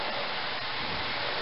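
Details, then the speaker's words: Pere Marquette 1225 steam locomotive, stopped: steady airy whine from the steam-driven turbo-generator (dynamo) that makes the locomotive's electricity, also heard when moving slowly over the chuffing; normal operation. "that's what you hear the little whine the whining noise uh when it's going down the track slow enough that you can hear it over the chucking or when it stops it's the diamond"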